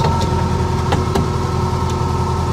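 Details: 1976 VW Fusca (Beetle), air-cooled engine idling: a steady, unchanging high-pitched growl rides over the engine note as the worn alternator bearing starts growling again.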